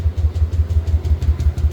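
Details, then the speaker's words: Yamaha Aerox V1 scooter that stopped starting this morning: steady starter churning at about five or six compressions a second, never catching. No fuel pump hum heard at the tank, so the fuel pump or its line is suspected, not confirmed. "Ridondo lang siya. Ayaw tumuloy."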